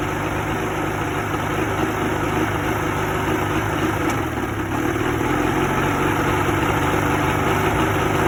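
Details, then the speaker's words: 1986 Evinrude 50 hp two-stroke outboard at idle with slight throttle: low chugging, uneven beat with stumbles; a shaky misfiring idle, cause unknown. "Start to give it a little throttle. See, that's a misfire."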